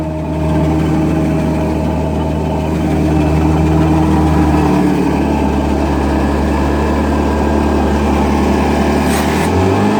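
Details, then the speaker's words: Old-style Butler steam cleaner after chemical injection spring repair and priming, cap pump on: engine holds a smooth constant drone at full speed with a steady whir, no knocks or surging; normal full-speed running. "We're gonna just take and fire this up, and we're gonna go full bore again. Got to turn on the cap pump, and we'll get that thing going full speed."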